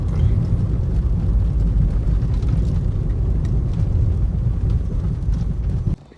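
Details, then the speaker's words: Nissan Leaf after the original front strut mounts were refitted in place of knocking KYB replacements: only a soft rubbery tyre rumble on a rough road, no knocks or rattles; suspension now sounds healthy. "Резиновий просто звук такий шин і тупо як м'ячик катиться без всяких стуків."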